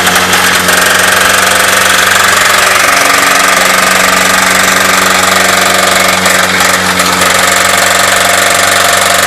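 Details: 2.2L four-cylinder Chevy S10 revved hard during a burnout after developing rod knock: loud engine with a deep, rapid knock about three a second; rod knock.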